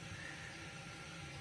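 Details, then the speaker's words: Newly installed Project Source Pro toilet, replacing an old leaking one, after the rubber grommet was tightened to stop a leak: steady, unbroken hiss and gurgle of water filling the tank; normal fill. "You can hear the water flowing. So, now we're just going to test out if it needs adjustments."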